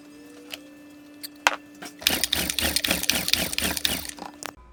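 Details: Champion 2000 watt quiet-run generator after carburetor replacement and refilling the float bowl: quick ratcheting pulls for two seconds that never catch; later fixed by unplugging the low-oil sensor and fresh gas and oil.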